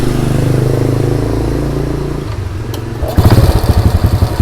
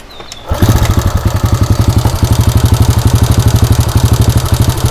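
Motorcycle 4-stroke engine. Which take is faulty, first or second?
second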